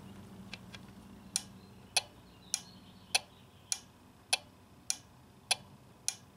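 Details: Four-pin blower motor circuit relay from a Nissan (blower intermittent, fails when cold) tested on an Electronic Specialties ES 191 Relay Buddy: crisp clicks about every 0.6 seconds; relay switching normally, at least while warm.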